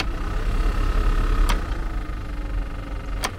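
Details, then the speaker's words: 2016 Renault Master with ignition on and AC blower turned up; steady fan hum with sharp irregular ticks that quicken with fan speed, caused by a leaf or debris caught in the blower fan under the dash. "I'm just going to turn the AC up and hopefully you can hear that ticking noise gets a bit faster as you turn the volume up"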